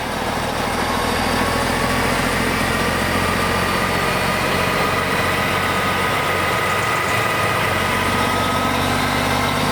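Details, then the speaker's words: BUCKETMOUTH forestry mulcher/stump grinder, 1.2 m wide, 1.7 m high drum over 6 tonnes, starting up to motor idle speed before full revolution; loud, even engine roar holds steady, no knocking or grinding; drum runs smoothly. "Through this process, the drum will start up to idle speed of the motor, which it is just achieving now, and then you'll hear it go through its second phase, the full revolution."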